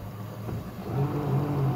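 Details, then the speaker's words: Electric kayak with sensorless three-phase motor on its stock speed controller: loud, wavering, jerky low drone rising and falling under load. Owner suspects a spun bearing, something in the prop, overheating or electronics. "hear that it's really loud we're having some issues i think we may have spun a bearing oh i don't know there's might be something in the prop it's real jerky"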